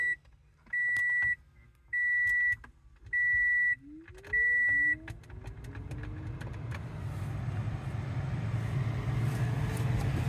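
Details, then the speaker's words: 2018 Toyota Sienna after replacing grinding blower motor: four chimes, then blower spins up to a smooth steady rush of air with no rattle or grinding; noise gone. "Y el ruido se le ha quitado. Así que eso es todo."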